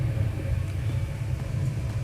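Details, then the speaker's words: Brand-new Eberspacher Hydronic 30 kW heater (first unit, about two hours of operation) after starting: low, steady, even rumble with no knocks, misses or surges; normal running, only stored error 52 (no start, safety time exceeded). "i don't know if you can hear it but the heater is running it's working"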